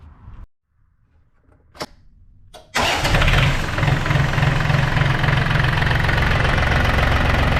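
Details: John Deere 870 tractor, Yanmar diesel, after new fuel filter, cleaned strainer bowl and bleeding air from lines: cranks briefly, catches cleanly, settles into steady even idle at about 220 beats a minute, no misses.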